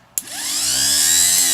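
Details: K5 Blazer starter after rebuild, bench-tested on battery cables: a sharp click, then a smooth whine climbing quickly to an even pitch; starter spins freely and sounds healthy.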